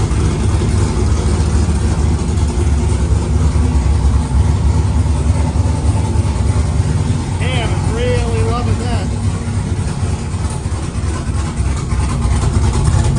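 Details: 1999–2006 Chevy/GMC GMT800 Silverado/Sierra V8 idling after Flashark long tube header install, open straight pipe before turbo hookup; loud, deep, lumpy burble, even firing, no misses or knocking, normal healthy idle.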